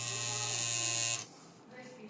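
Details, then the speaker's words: MSI Katana GF76 laptop cooling fan, tested after cleaning and thermal paste replacement: a high buzzing whine for about a second, then it cuts out. A worn fan bearing lets the fan vibrate; cleaning found nothing clogged. "Где-то он какую-то вибрацию ловит. Еще раз одно правило. Надо включать перед тем, как что-то разбирать. То, что он так вибрировал, это и была проблема у моего друга."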